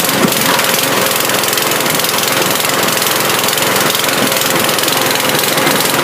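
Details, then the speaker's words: Mountfield lawn mower, small single-cylinder, running after carb cleaner spray: loud and rough with a stumbling, uneven beat, misfiring; owner suspects a dirty carburettor, possibly a partly blocked jet, not confirmed. "I'll clean the carb out now because it was running, but it was sort of giving the problems of a dirty carb, so I shall clean that out. It sort of misfiring a little bit and I'm running even."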